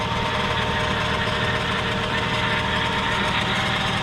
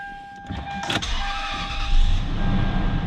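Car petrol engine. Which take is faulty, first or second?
first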